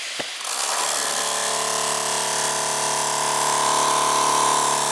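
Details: MSI GP66 Leopard laptop (RTX 3070) cooling fan after a few weeks of use: steady rough whirr with a thin high squeal on top, grinding; owner suspects defective fan or loose weak blades, bearing or blade rubbing possible.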